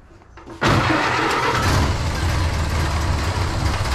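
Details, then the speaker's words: Temporarily wired vintage engine, restarted with choke after a loose connection was found: catches at once and settles into a steady, smooth run with no misses. Healthy start. "Oh, there you go, man. I love it. It will run. Yeah, that sounds good. That was super smooth."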